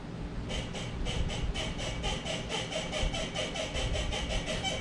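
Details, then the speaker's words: 2019 Tacoma after lift install, driving: rapid, rhythmic high squeaks about four a second over road rumble from rear leaf spring shackles, likely from too little grease at install. "All right, so that could be a couple different things. One, I didn't put enough grease on the shackles when I installed it."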